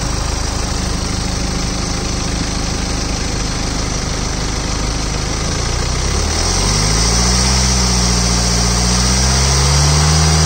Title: BMW 320 D, Engine noise, 2013.